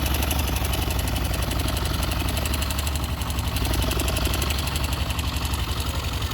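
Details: YB motorcycle idling with a light, fairly regular knocking tick, roughly four per second, over the low exhaust thrum; abnormal engine noise, source undetermined.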